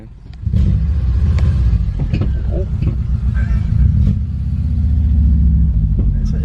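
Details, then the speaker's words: Subaru Outback driving after welding in Jones turbine resonators: steady low rumble with smooth even pulse, no rasp or drone; exhaust much quieter and sound. "it's definitely better hundred percent so much better now"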